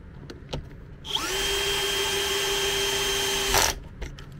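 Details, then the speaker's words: MET AIR T-100 anti-bedsore mattress compressor after repair: it would not switch on, the fuse was intact, and a loose internal contact was snapped back in place. It starts cleanly, holds a steady, even hum of constant pitch with air flowing, then shuts off: running normally. "Проверяем. Все работает, воздух идет."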